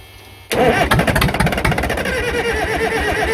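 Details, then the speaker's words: Caterpillar 922B loader diesel, submerged electric fuel pump fed from a raised tank, glow plugs suspected not working: catches abruptly and runs rough and uneven with ragged firing; air still in the fuel. "Well, we're still getting air in it, and that pump is submerged."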